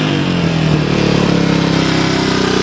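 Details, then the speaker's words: Suzuki DR200ES single-cylinder motorcycle, first run after acquiring, air filter refitted, temporary fuel line: pulls cleanly from low revs to a higher steady pitch with even firing; winds up freely, healthy revving. "so that's what it sounds like i mean it seems to idle okay she seems to wind up"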